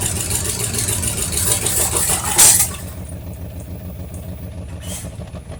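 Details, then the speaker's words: 1973 Mercury Cougar XR7 at its first start since 1985: as revs drop after starting, a light, quick ticking over an uneven idle, suspected lifter noise from an old engine; no oil pressure on the gauge, gauge possibly faulty; carburetor accelerator pump leaking. "I can hear some lifter noise and stuff, but you know, it's suspected something from an engine like this that is that old."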